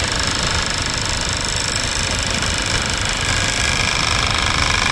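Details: Heater blower motor, tested after removal, runs with a coarse, rapid rattle over its steady whir. A metal piece was found wedged in the blades, possibly causing imbalance. Blower motor failed and noisy.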